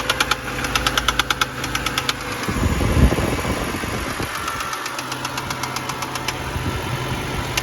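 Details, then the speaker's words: 2011 BMW 328i xDrive (N51 as stated) cold idle: sharp, inconsistent knock coming and going over steady engine note, seeming toward the back of the engine; owner suspects bottom-end bearing, later concludes spun bearings. "hey it started up so that the sound it almost sounds like like a piston hitting the head like it was a bottom end bearing i can tell by it's inconsistent it's like all over the place sometimes it goes away sometimes it comes back"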